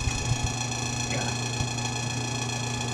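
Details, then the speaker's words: Washroom exhaust fan running noisier than it should: steady buzzy hum with a thin scraping ring and occasional ticks; fan blade rubbing on the connector inside. "maingay siya guys dapat hindi ganyan Kaingay yung ating ano exhaust"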